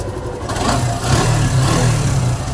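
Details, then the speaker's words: Suzuki Gixxer SF after repair of the noise, which was only a tension problem, not engine, piston or valves: low, even idle with no ticking or rattle; noise gone, sounds healthy. "अब इसके sound बिल्कुल बंद हो चुकी है आवाज बिल्कुल आवाज बिल्कुल मक्खन हो गई"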